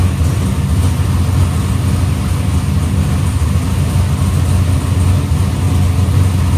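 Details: Box Chevy carburetor after a small idle mixture adjustment: deep, steady V8 idle with an unbroken beat and no hunting; idle AFR is back where the owner wants it.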